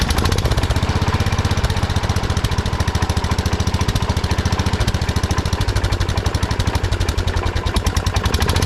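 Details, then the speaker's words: 1979 Kohler K301 12 hp single-cylinder engine from a Wheel Horse riding mower, after carburetor work: fast steady thump far above normal idle; carburetor idle adjustment set too high, throttle shaft also affecting idle. "there's a lot of idle I've been trying to adjust it the carburetor a little bit but we'll see what it does now"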